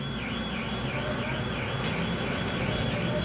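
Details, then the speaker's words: Toyota Fit automatic that would not start or crank, sometimes when hot; the cause was a loose ignition switch connector socket. After the fix it starts and idles smoothly with no misses. "oh swabe na siya mga boss swabe na yung ating ginawang Toyota fix"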